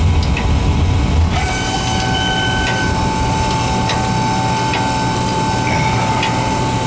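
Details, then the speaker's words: Oil burner, oil flow lumpy: burner lights with a roar, then a thin steady high whine over it as the oil pump struggles through dirty crusty filters; filters then replaced. "That filter was pretty dirty. I could tell by the pump was whining. Struggling."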